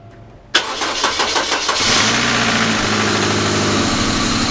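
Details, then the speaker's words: Rebuilt 1999 Grand Am GM LD9 2.4 Quad 4, first start-up: cranks, catches and idles with a constant harsh grinding from the AC compressor clutch assembly. The compressor, whose shaft seal also leaks, needs replacing; an initial brief misfire cleared. "that ac compressor needs replaced it's really grinding in that clutch assembly but the shaft seal is leaking on it so i was going to replace that anyway"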